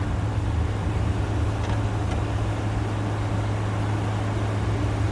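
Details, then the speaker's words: A 2014 5000 BTU Frigidaire window AC, unused 5 years: a steady low hum with soft fan rush and no knocks. Air drops from 52 to 47, coil 53, condenser 64, and it runs normally and quietly, ice cold. "That is freezing cold. 52 and dropping. That compressor is really quiet."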